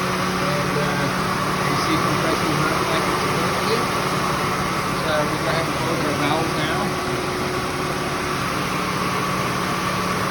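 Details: Ford Mustang at idle after repairing the AC relay in the CCRM module and recharging refrigerant; compressor hums evenly with blower rushing, no cycling or rattles, AC working normally.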